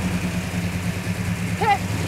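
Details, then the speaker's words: 1967 Hemi GTX convertible after restoration, started outside, running without air cleaner while air-fuel mixture is adjusted: steady, even low V8 idle rumble with no knocks, misses or hunting; normal idle, sounds healthy. "i mean it doesn't have the air cleaner on it too which doesn't sound bad"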